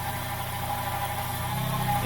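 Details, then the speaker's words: 2004-2008 Acura TSX K24A2 petrol engine idling unevenly, speed and loudness swelling briefly: surge with quick suction sound from vacuum leak at manifold gaskets; ignition timing dropped to -2 during surges; idle control valve already cleaned. "which was a vacuum leak you could hear the motor have you can hear the vacuum leak actually and it would be more of like a a like a quick suction you can hear the engine surge"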